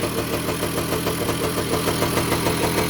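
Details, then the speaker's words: 1985 Kawasaki KE100 two-stroke, first start after years sitting, blocked carburettor cleaned, running on premix: steady, fairly even tickover of about three beats a second without cutting out; idle settled and healthy. "there we go we have it running you know we need to find out if there's any gears or clutch or anything yeah it's ticking over"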